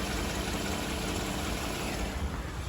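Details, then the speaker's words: Toyota Highlander 2GR-FE V6 after engine overhaul for cylinder 1 misfire (P0301) and cold-start knock, warmed up: smooth, even idle with no knocks, ticks or stumbles; no warning lights on. "мотор работает омакор работы работать над аж неплохо никаких нигде ни стуков не браков"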